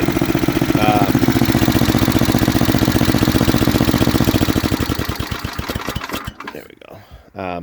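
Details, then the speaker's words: Snapper 8 hp 26-inch snowblower, warm and tuned, old used carburetor running about 90–95 percent: an even, regular putter at a steady fast idle with no misses or knocks, winding down cleanly at shutdown; normal running. "so it's a used carburetor right it's old not running a hundred percent let's say it's running like 95 90 90 to 95 which is fine"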